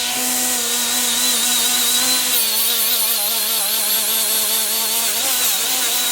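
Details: Milwaukee 90-degree die grinder (part 2485-20) with a Scotch-Brite surface-conditioning wheel removing gasket: steady high even whine holding pitch under load without bogging; running normally.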